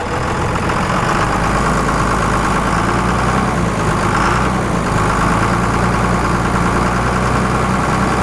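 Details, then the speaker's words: 1998-2002 Dodge Cummins after a new VP44 injection pump install, throttle held around 1100-1300 RPM to work air through the system: dense, even clatter with no stumbles or surges. Smooth high idle. "Now, we got a smoothed out truck. So just touching the throttle like that, revving it up to 11, 12, 1300 RPMs just lets the truck smooth out."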